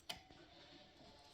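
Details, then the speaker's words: Cadillac STS, injector energized: crisp little snaps as it opens; a working injector, unlike the silent failed one. "little snapping sound that's an injector working no sound that's the one that's not working"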